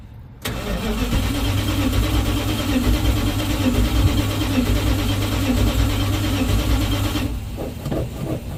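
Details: 1970 Dodge D100 pickup with Holley Street Dominator intake, after new fuel line connection, no choke fitted and a port left unplugged: steady rhythmic cranking churn for about seven seconds that never fires; cranks but won't start.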